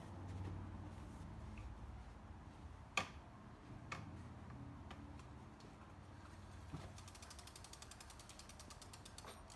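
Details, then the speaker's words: SUPER73 electric bike, wheel lifted and spun after new brake pads were fitted, checking alignment. A fast, even ratcheting tick slowing gradually, no rubbing or scraping. Normal freewheel ticking, brakes sound right. "yeah that doesn't sound that sound weird to you it sounded right to me dude"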